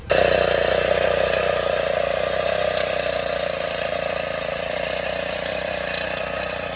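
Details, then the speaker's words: 1960 Suvega 50 cc moped after a cold start, with the engine started by motor since the clutch did not engage: small two-stroke buzzes at a fast even beat, no misfires or knocks. "ഇപ്പോൾ മോട്ടറിന് കൊടുത്ത് വണ്ടി ഒന്ന് സ്റ്റാർട്ടായി വന്നപ്പോൾ ready ആയില്ലേ?"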